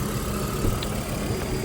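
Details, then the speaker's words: 1997 Volvo 850 at a smooth, even idle with a steady low rumble and no top-end ticking. The owner suspects hydraulic lifter tapping that stops once the car is driven hard, but it cannot be reproduced here. The oil pressure light goes out immediately at start. "I can't get it to make the sound it sounds happy and healthy and I can't get it to make the tapping noise anymore"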